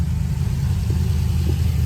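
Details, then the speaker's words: LS-swapped Camaro V8 idling for a while after a first-drive problem was fixed, before fitting new exhaust; deep steady rumble with an even beat, no popping or ticking: normal idle. "Alright, this thing's been sitting here running for a while."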